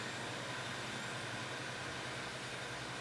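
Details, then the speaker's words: 1990 Corvette ZR-1 LT5 A/C recharge with R12, can inverted on the low side, believed to let liquid go in: soft even hiss with faint high tone as refrigerant flows freely and gauges, then high side, start moving. "can hear it going in. It's really moving. Gauges are moving."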